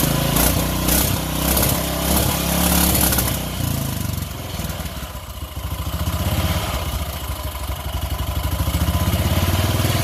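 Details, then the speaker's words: Briggs & Stratton engine, believed 16.5 hp, freshly swapped into a Craftsman LT1000 mower (replacing a 17.5 hp OHV Briggs), old carburetor fitted, choked start: small single fires up, surges a bit, settles into steady thumping run, no knock; runs normally, sounds better than the old engine. "Don't sound as bad as the old one either. Ah, it works too."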